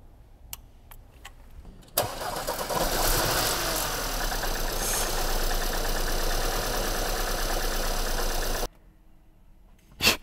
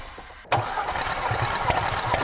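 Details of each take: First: 2018 Porsche Macan 2.0 petrol four-cylinder, 95,000 km, cranking and idling with a faint uneven stumble; cylinders 3 and 4 misfire counts keep climbing beyond the standard range even after all four coils were replaced; petrol smell from the exhaust. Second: 2018 Porsche Macan 2.0 petrol, 95,000 km, cylinders 3 and 4 misfiring, plugs fuel-wet, coils suspected: compression test cranking, a steady, even starter whir; compression normal on all four cylinders.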